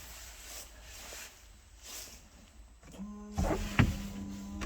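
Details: Volvo V70, ignition on, after replacing a 10 A fuse: quiet stretch then steady electric motor hum with fluid spray, rear window washer pump working normally.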